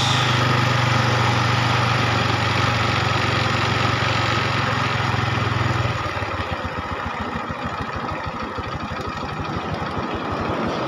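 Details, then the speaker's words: Honda Revo motorcycle after carburetor service for a sticking, self-revving throttle and snapping cable: small single starts and settles into a quick, even putt, steady with no misses or hunting; normal idle before adjusting air screw. "Dan Dan setelah itu baru kita starter dan motornya sudah hidup normal teman-teman Ya tinggal kita mengatur setelan kas"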